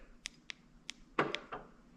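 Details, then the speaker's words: 2015 Dodge Charger Pursuit, key fob trunk button pressed twice: light clicks then a short clunk, no latch release; the trunk actuator used to work, turned intermittent, now never opens; a new Dorman 931-270 was bought to replace it. "but it never opens the trunk. It used to every once in a while open. Well, it used to all the time. And then it started just every once in a while it would work. Now, it doesn't work at all."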